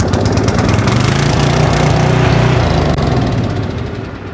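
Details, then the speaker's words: Generator that sat about ten years, started with choke on: rough chugging run that holds briefly, then sags and dies within seconds; fires but won't keep running. "we just got it started obviously it died right away but I think we can probably go back and try again"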